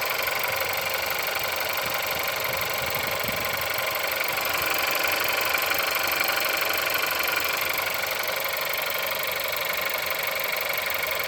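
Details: Engine at 176,000 mileage, cold start: cold idle with a steady, fairly even tapping at about four per second over a thin, tinny engine note; engine knock.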